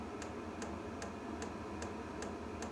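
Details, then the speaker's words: Diesel heater for the sailboat SY Carla, running with the fuel pump still mounted in the unit: sharp light ticks about 2.5 per second over a steady fan hum; normal dosing pump clicking, though the owner later moved the pump out of the machine to cut the noise. "I might be able to get used to the click click from the pump"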